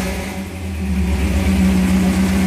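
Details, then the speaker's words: 1978 Toyota Hilux pickup after swap from 20R to a 22R engine, carburetor barely touched, vacuum lines sorted: revs smoothly up from idle with a deep, even exhaust rumble and no misses or knocks, recorded on a phone; healthy running. "not bad sounds pretty good man she rumbles pretty nice and never sounds that great on the recording as a phone"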